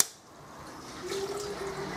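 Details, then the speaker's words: Workshop central heating circulator pump, after clearing a suspected blockage (possibly PTFE tape) by draining a pipe, over-pumps slightly on start-up: gentle trickling and gushing of water into the header tank over a faint pump hum; some noise remains, possibly air. "it actually over pumps a little bit and you hear the water run into the uh into the tank"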